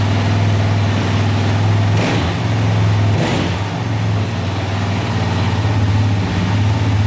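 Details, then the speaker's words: 2004 DVX 400 quad restarted to warm up after a rebuild with new valves and valve seals, since every valve had been bent; smooth idle with two quick clean throttle blips, no top-end ticking or leaks, the valves closing properly. "just to make sure it all works and runs perfect but it sounds amazing uh the valves are doing their job closing perfectly"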